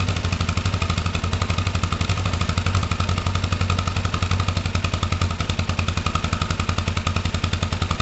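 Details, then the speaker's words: Kawasaki ER5 motorcycle carb project, first start-up after carburettor clean, revving: twin with a choppy, stumbling, slightly uneven beat, a slight misfire though sounding better; owner thinks new ignition coils may help, cause unconfirmed. "Slight misfire. I mean, sounds better now."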